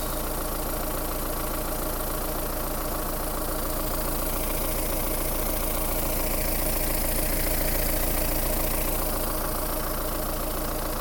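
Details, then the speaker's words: Mahindra Roxor diesel, morning cold start that caught instantly on the first try: a steady, even clatter at idle of roughly 214 beats a minute with no misses or knocks; healthy. "Quick video on starting the Roxor and what it sounds like."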